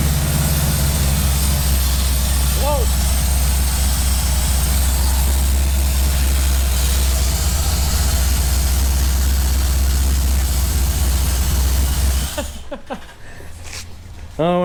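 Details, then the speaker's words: Firebird V8 after replacing ripped intake manifold gaskets that caused a big vacuum leak, and finding a broken spark plug: hot, thermostat open, deep even burble at steady idle, no stumbles, misses or hiss; runs beautifully, a normal idle. "seems happier runs it runs way better miles better than it was yeah it's running beautiful now happy with that"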